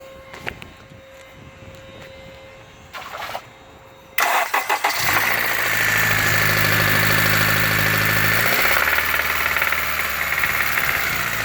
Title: K20z3 rod knock